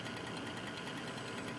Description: Weird Cooler Master Real Power Pro 550w making tick noises